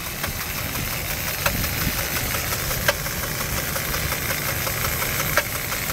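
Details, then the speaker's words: 2004 Jeep Liberty Renegade, very high km, no oil change in over 100,000 km, cold start idle: irregular sharp metallic knock every two to three seconds from front near timing; owner suspects collapsed lifter, dropped rocker arm or timing chain. "it sounds like it's definitely right there where's the timing scene right under here and yeah it's coming from the front"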